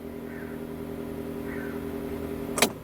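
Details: UAZ Patriot auxiliary electric heater circulation pump, original motor, alternately mounted on a rubber damper and without: smooth steady low hum, no rattle or buzz; pump running quietly and evenly, normal heater pump hum.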